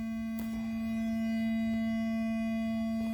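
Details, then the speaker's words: Ford SYNC replacement module from 4D Tech, engine off, on Bluetooth: constant low hum around 220 Hz with faint overtones through the speakers, present the whole time; electrical background noise. "just makes a humming noise"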